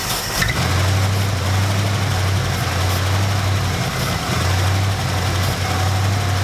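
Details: 1972 Dodge D100 truck, 318 V8, first start after sitting 13 years in a junkyard: deep, steady idle with an even beat and no knocks or misses; engine idling healthily.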